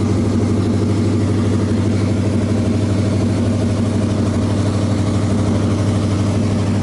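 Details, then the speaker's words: 1986 Chevy K-10 V8 with new heads, 194 intake, headers, after engine reassembly: steady, even idle with smooth low rumble and no stumble, back to firing on 8 cylinders instead of 6. "Okay, that sounds a lot better. Back to 8 cylinders instead of a 6."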